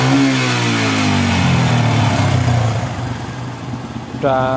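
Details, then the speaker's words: Yamaha Bison single-cylinder that was bogging, backfiring and smoking black, after a carburettor teardown and tuning and blocking the emission hose: engine revs up and settles cleanly with no pops or stumbles; running normally now. "lumayan enggak nembak-nembak dan digas bisa Po ya kita coba jalan lagi"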